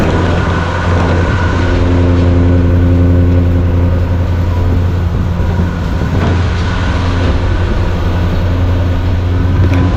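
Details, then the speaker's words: 1975 Chevy C10 Squarebody, first run after 20 years of storage, primed with fuel. Deep, steady rumble with an even lope and no knocking or misses; a healthy idle. "That sounds good. So, what do you think? That was awesome. Good old girl. Fired up and she idled a little bit."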